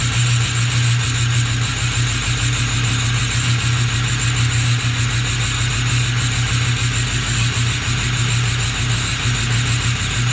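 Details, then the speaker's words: Ford 6.0 Powerstroke diesel at cold start: rough, lumpy idle with an uneven, stumbling beat under the clatter, missing and smoking quite a bit, no check engine light; cause not confirmed. "definitely sound a little rough just now starting to pick up hold starts are great definitely smoke so quite a bit"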